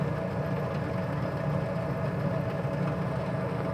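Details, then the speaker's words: Furnace fan after replacing worn, squeaking bearings: steady, even low hum with no squeal or ticking, much quieter than before; normal blower running. "there we go it's turning it's much more quiet way better than it was"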